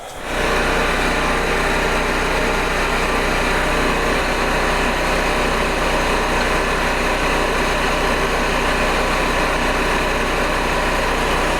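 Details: Wen Power Pro 3500 generator, unrun about 15–16 years, revived with fresh gas and old oil still in: steady, even drone with a bright buzzy edge and no surging, misses or knocks; running healthy.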